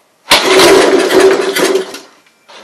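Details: Honda Harmony 215 mower that sat outside for years, starting fluid sprayed into the carburetor throat at full throttle: bursts into a ragged roar for about 1.5 s then dies; engine fires, suggesting a good motor, carb needs cleaning.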